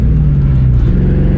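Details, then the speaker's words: Ford Mustang drift car during a drift event: a loud, rough low rumble with an uneven, stumbling beat, running as if on 4 cylinders before it died; a misfire. "Something's not running right. It's running on 4 cylinders or something. It's just, it doesn't feel right. I can't even drift."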